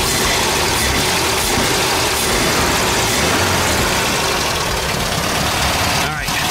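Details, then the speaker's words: 1971 VW Type 3 Squareback 1600 Variant air-cooled flat-four, first start, heavily primed, air cleaner off: settles into a steady, even idle with no knocks or misses; running healthy. "I haven't even read it yet but it sounds good"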